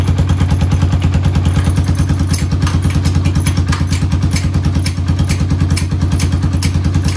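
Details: 1991 Honda TRX250X quad barn find, carburetor refitted, fresh fuel, exhaust leak mostly fixed: even single-cylinder thump, about three beats a second, with light clatter on top; idles steadily and runs fine.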